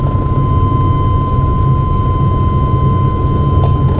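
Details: 1996 Chevrolet S10 Blazer 4.3L 4x4, previously stuck on defrost, after replacing a leaking vacuum line, engine running: even rushing air with no flap clicking or blower rattle; floor vents now work, normal airflow.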